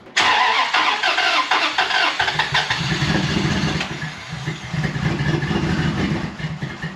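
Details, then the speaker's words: 2004 Dodge Ram truck that dies after running a while, no codes stored, warm restart after stalling: long uneven cranking for about two seconds, then a rough, unsteady idle. Owner's father suspects the fuel pump; fuel pressure to be tested. "It was kind of tough getting it to pull in, but it finally did start."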